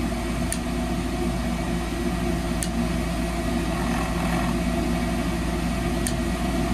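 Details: 2004 Rheem furnace: steady inducer blower hum with faint ticks, no burner whoosh ever follows; control board never opens the gas valve. Inducer runs, no ignition (failed control board).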